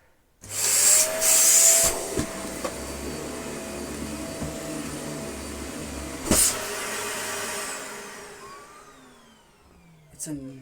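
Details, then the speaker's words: Dyson Small Ball Allergy upright vacuum after clog maintenance: steady high-pitched whir with thin whistle and airy rush, holding even until it winds down; pretty noisy but running normally. "This is very good. It's pretty noisy, but it's a really good vacuum cleaner."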